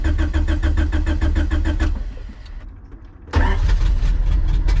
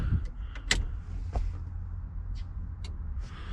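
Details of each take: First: Honda CRX with LS/VTEC turbo engine converted to OBD1, first start with check engine lights on: idles briefly, sags and dies, then restarts; stalling after start, owner suspects no fuel in the tank. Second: Turbo LSVTEC Honda CRX converted to OBD1, key on: brief electric whir under low hum with a few clicks; normal fuel pump prime, check engine lights on, car may have no gas.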